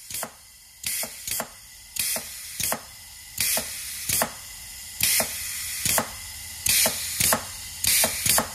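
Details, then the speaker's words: Eaton Fuller FRO16210C ten-speed transmission, new range shift modulator fitted but range cylinder plate gouged by rust from water in the air system: sharp hissing bursts in pairs every 1.5s during range shifting; air leaking past. "you're going to hear air leaking around it all that good stuff I'm going to show you by spraying some soap on this you're going to see some bubbles coming around it"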